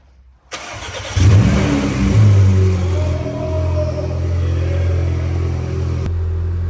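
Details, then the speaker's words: 2018 Porsche Macan, 47,000 on the odometer, standing two years, muffler removed: short crank, catches at once, brief rev flare, then a smooth, steady idle with no knocks or misses; normal cold start. "Машина уже стоит 2 года, не заводится, завелась просто с полоборотика, сами слышали, кайф. Это она так работает, потому что глушителя там нету."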